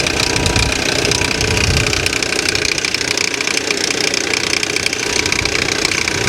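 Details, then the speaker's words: Salvage-auction car listed as a non-runner that actually starts. Loud, harsh idle with an uneven knock about three times a second and heavy clatter; the speaker wonders whether it is a pulley or the timing chain. Engine knock. "what is that noise is that a pulley or is that a timing chain that sounds really bad yeah that sounds that sounds pretty bad"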